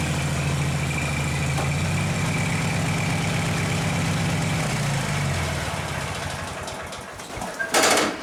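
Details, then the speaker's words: Taurus 650 engine idles far too high and runs away; fast steady idle slowly sagging because the throttle doesn't return, due to a missing throttle return spring in the linkage, later fixed. "I got to figure out how to adjust the Idol on this thing before I kill myself it's too silent like way too high and it takes off on me"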